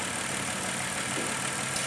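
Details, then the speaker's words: Running engine during an oxygen sensor test, vacuum port cap deliberately removed: steady airy hiss over an even idle; the open port creates a vacuum leak leaning out the engine. "And you can hear it creates a vacuum leak."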